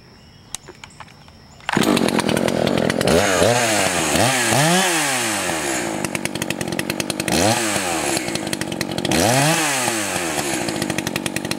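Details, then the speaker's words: Echo CS 590 chainsaw, high-speed screw tuned while cutting, running richer than wanted even for break-in: bogs under load each cut then screams back up, faint burble while clearing; slightly rich, four-stroking, high screw turned in about 1/8 turn. "In this case, I'm going to go ahead and turn the high-speed screw in about an eighth of a turn or so. Let's see if that allows it to clear up a little quicker."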